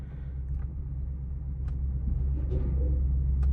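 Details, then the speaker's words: Repossessed Cadillac SRX with the check engine light on, being driven onto a trailer: a deep rumble rises unevenly and stumbles as throttle is added, nearly stalling, and it doesn't want to go. "Yeah, it doesn't want to go."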